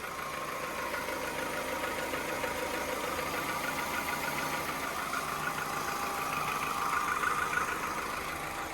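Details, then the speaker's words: £150 Copart car with timing chain: even, steady petrol idle with light regular patter, no misses, knocks or hunting; ticking over really well, though oil leaks from cam cover, which needs replacing. "It's ticking over really well, though. Yeah, it's ticking over really well."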